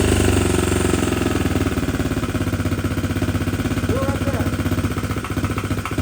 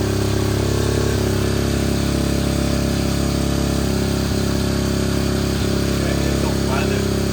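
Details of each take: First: 2021 SSR 125 pit bike, single cylinder, new Lifan 125 cylinder head, idling a few minutes after idle screw adjustment: sharp tapping on every beat, about four per second; first suspected bad crankshaft, excessive valve clearance. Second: 2021 SSR 125 pit bike, single cylinder, new Lifan 125 cylinder head, after adjusting the extremely loose intake and exhaust valves: even, steady thrum with no tapping or knock; not the crankshaft, idles cleanly and has power.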